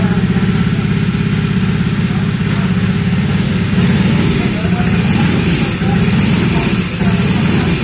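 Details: Honda Vario 125 bored up to 140cc with FIM piston: uneven, lumpy idle with a loose rattling undertone and no steady beat; rough running traced to a part working loose.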